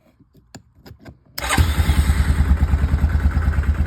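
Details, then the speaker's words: Yamaha Kodiak 450 ATV no-start, jumped: a few separate cranking thumps, then it catches into a steady thump about three times a second; owner concludes the starter solenoid is faulty. "Cranks up and runs. Must be this start solenoid."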